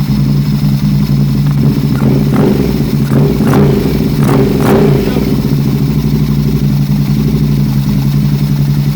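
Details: 2006 Aprilia RSV1000R, 1,300 km after a service: lumpy, stumbling idle and ragged blips, a suspected misfire. Plugs and the crank and head sensors were replaced, vacuum lines checked OK, and a small spark is visible at the front cylinder.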